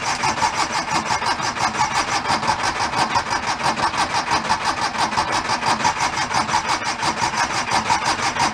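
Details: 1976 Porsche 914 converted to a station wagon, fuel-injected: steady starter cranking at about five compression beats a second, turning over evenly but never firing; cranks, no start, cause unknown (spark and fuel being checked).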